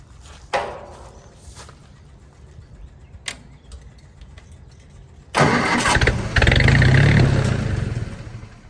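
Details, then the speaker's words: Willys-powered Army skid generator, extra prime given, air cleaner on, choke closed: starter churns steadily, engine sputters but never catches; no-start, owner suspects gummed-up carburetor. "don't tease me like that well we may just have a gummed up carburetor"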